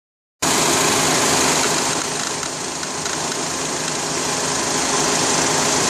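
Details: 2004 Honda Accord petrol engine idling with a light, regular clicking of about four a second near the belt drive, where the tensioner moved slightly; the cause was a failed belt tensioner, and replacing it cured the noise.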